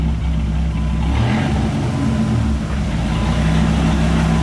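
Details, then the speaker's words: 2000 Dodge Viper GTS, Tremec T56 gearbox that was clicking like rocks inside, running with wheels spinning: steady gear hum lifting smoothly as speed rises, no grinding or knocking; third gear works. "third gear is working"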